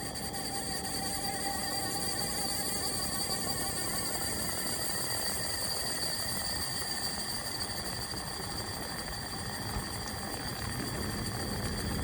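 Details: AC Infinity Cloudline inline fan, Air Filtration PRO Kit 4", 1–2 years old, carbon filter removed: constant airy hiss with a steady high bee-like buzz, unchanged speed. The abnormal noise developed over recent months, cause unknown.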